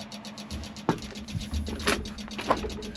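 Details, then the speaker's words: John Deere 190E excavator, key on, engine off: a steady fast train of light clicks from the rear over a low electrical hum. Cause unconfirmed. "Another thing, you turn the key on, you know the clicking back there? Something's not happy. Not happy at all."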